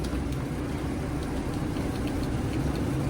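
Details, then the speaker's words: Car at a Japanese auction, 24,000 km, automatic, two-wheel drive, with AC, possibly not turbo: starts right up into an uneven, lumpy idle with irregular thumps; a misfire is suspected. "Starts right up. I don't believe it's turbo. If it's turbo, I dropped the ball hardcore. Oh, it's a misfire. It's not a good sign."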